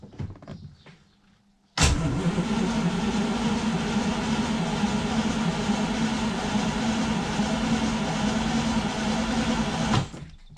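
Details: 1960 B-spec Daimler Dart SP250, dormant three years, first start using a NOCO GB40 lithium jump pack: the engine catches at once and settles into a steady, even V8 idle with no misses or knocks. A normal start and idle.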